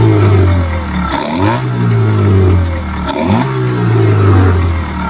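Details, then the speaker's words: Yamaha 15 hp outboard after repair of hard starting and no power from stuck piston rings and clogged exhaust: strong steady drone with crisp throttle blips rising and falling cleanly; starts quickly, normal running with power restored. "Sangat mantap, cepat hidup, kemudian tenaganya sudah los."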